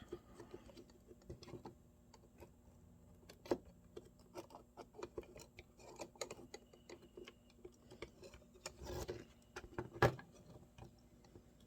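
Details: Sega CD Model 1 drive during repair: quiet, irregular light ticks and clicks from the drive mechanism.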